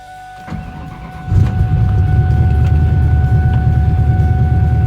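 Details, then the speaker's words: Engine Masters competition hot rod engine on baseline tune, started before going to the chassis dyno: catches after a brief crank, settles into steady deep even idle with no knocks or misses; starts fantastic. "So like I said earlier, I have a baseline tune-up in it. It starts fantastic."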